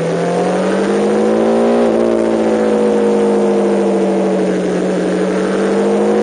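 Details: MV Agusta F4 750 four-cylinder on track, chronic recurring misfire: howl holding around mid revs with a brief stumble and uneven note; misfire under load, cause unknown.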